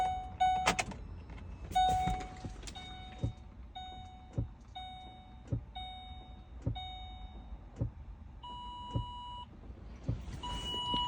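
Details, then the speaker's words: Low battery voltage makes the car act weird, with warning messages for liftgate, tire pressure and oil change; soft regular thumps about once a second from the liftgate actuator under steady warning chimes, caused by not getting the correct electricity. "it's very hard to hear the noise but it's a thumping noise that's back there because it's not getting the correct electricity"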